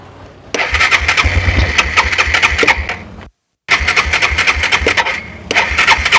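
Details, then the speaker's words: ATV with suspected bad gas, in neutral, on choke: catches, runs rough and uneven a few seconds, cuts out abruptly, restarts unsteadily; stalls after starting, likely fuel supply fault, carburetor needs cleaning. "so i think i am going to have to clean this carburetor"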